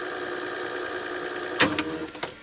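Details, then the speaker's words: 1990 GE 2-head mono VHS VCR, heads and mechanisms cleaned, rewinding after playback: a smooth whir, then a crisp clunk and clicks as it stops at tape counter zero rather than fully rewinding. Normal rewind and auto-stop. "again the tape hasn't fully rewound it just went back to where the tape counter was at zero see the tape hasn't fully rewound which is a pretty convenient feature if you want to CU something up and show it several times over again"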